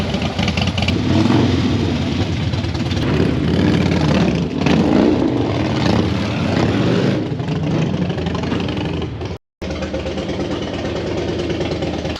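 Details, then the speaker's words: Stock Harley-Davidson V-twin, gauge showing empty after adding oxygenated racing fuel, hard starting: ragged revs that stumble and surge unevenly with a brief cut-out, misfiring; owner suspects a fouled spark plug, bad plug wire or bad injector. "I think I either got a bad plug wire or a bad plug or a bad injector something is [ __ ]"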